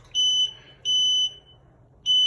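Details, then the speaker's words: Sunlit power wheelchair controller, switched on in electric mode, beeps two short then seven long, steady high-pitched about a second apart: joystick failure per manual; replace joystick or entire chair. "as you can so as you can hear it's two short beeps and seven long beeps which is showing from your troubleshooting manual it is showing that it is a joystick failure"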